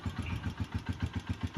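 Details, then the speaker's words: Honda TMX motorcycle, clearance 0.06 mm correct: steady idle with sharp even knocks about seven per second, slapping tick; cause scuffed piston (piston slap) and worn cam follower. "So una gasgas na po yung kanyang piston Ayan oh nagkameron po siya ng gas gas which is nagko-cause po yan ng ingay piston piston slap"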